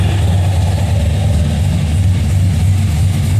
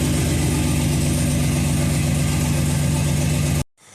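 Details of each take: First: Budget cammed 5.3L V8 after first start, which was quick; the tune is left alone until real knock sensors are fitted. Deep, steady idle with a slight loping cam chop in the exhaust, running clean. Normal cammed idle. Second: Budget cammed 5.3 L V8, first start after install: lumpy, uneven idle with a choppy stumbling exhaust beat, then shut off; passenger-side bank coil packs were left unplugged, so half the cylinders aren't firing.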